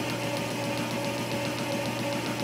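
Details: Cisco lathe boring a drive sprocket with a high-speed steel bit and boring bar at a slow feed, for a replacement motor: steady machining hum with a light tick about three times a second as the bit crosses the keyway; an expected interrupted cut on the last passes.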